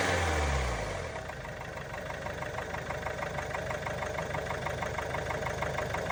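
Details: Range Rover Velar 2.0 D240 Ingenium diesel, engine light on: idle with light, fairly even tapping around three per second over the clatter, sounding like top end; tapping disappears when revved, cause unknown.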